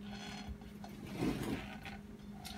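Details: LG top-load washer clutch assembly/gearcase AEN73131403, about five years old and turned slowly by hand: a dry, scratchy metal grind with faint ratcheting clicks from a failed, rough bearing.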